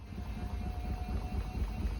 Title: Samsung washing machine making very weird noises on final spin